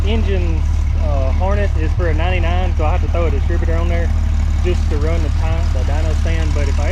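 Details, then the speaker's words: Jeep 4.0 inline-six from a ZJ Grand Cherokee, turned into a 00-01 XJ engine, injectors cleaned: a steady, even low idle hum under loud voices with no knocks or misses; nice and quiet, one of the best-running coil-pack motors. "probably one of the best running coal pack Motors I've had"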